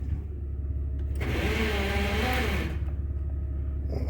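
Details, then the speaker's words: Chevy Express van, 6.5 turbo diesel, 29,400 miles, sold with bad engine, cranked after glow plugs heated: about 1.5 seconds of harsh grinding with rising whine, no firing; starter suspected bad, possibly flex plate, not confirmed. "sounds like the starter is no good in this thing so we're going to have to uh invest in a"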